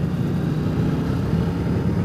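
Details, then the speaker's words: Speedmaster opening the throttle hard on replacement used pipes: a low, soft, even rumble, smooth and quiet where the old ear-ringing pipes gave a loud brap; normal exhaust note. "You know, that's just nice and smooth and quiet. Before dumping the throttle like that, I would have heard like this brap."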